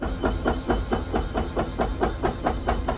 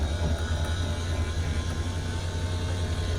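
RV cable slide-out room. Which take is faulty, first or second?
first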